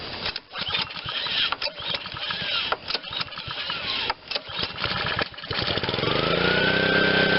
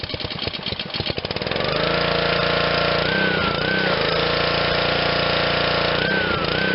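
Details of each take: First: Honda GCV160 on Black Max pressure washer after sitting, on choke, single throttle setting: uneven sputtering bursts about four per second settling briefly into a steady run; won't run unless primed, owner suspects bad gas, plans carb cleaning. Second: Honda GCV160 on Black Max 2600 psi pressure washer, restart after carb cleaning and fresh fuel: pull-start chatter catches on first pull into a smooth, even, steady run holding speed; works perfectly.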